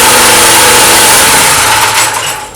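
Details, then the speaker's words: Petrol generator that kicked back on the pull handle and backfired into the carburetor, after valve replacement: loud fast even buzz holding speed without backfires or stumbles; running properly. "супер все працює все гарно ще раз ні я думаю що буде все чудово"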